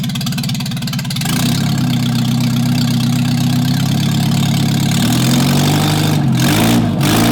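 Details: MGB under restoration, engine running with no exhaust headers fitted after rear axle refit: very loud, raw crackling bark at each firing pulse, rising briefly with throttle; open exhaust much louder than a voice.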